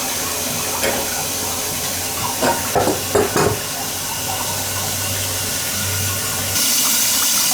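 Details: Toilet that was filling slowly, after installing a BrassCraft supply connection, reusing brass nut and gasket, and turning the water back on with no leak: steady rushing water with a few handling clunks as the tank fills evenly, so normal tank refill.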